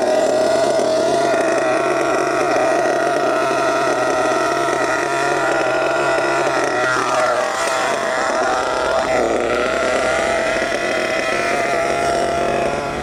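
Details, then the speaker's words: HPI Savage GT6 nitro RC truck with F4.6 engine: drones with soft burbling note that sags and stumbles, sluggish instead of crisping up; the low-speed needle was richened too far. ">> Ah, it's because I richened up that low end needle, didn't I? Trying to get the TIG over to sort out. I richened that low end up. That's now too much."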